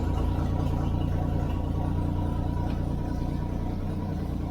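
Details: Toyota FJ40 Land Cruiser six-cylinder, oil pressure confirmed on gauge: even low idle loping steadily around three beats a second, no knocks or misses; normal idle.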